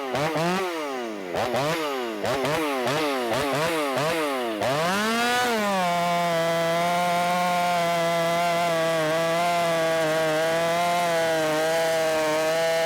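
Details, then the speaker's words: Ported Shindaiwa 757 chainsaw after timing advance, no jetting changes, cutting big wood: engine blips unevenly, then holds a high, steady scream without bogging, reaching higher rpm than before the advance. "you could hear it SPO up boy it got way up into the RPM range and it didn't seem like it was doing that previously so it does seem like it's getting up into the RP RPMs better than it it was before"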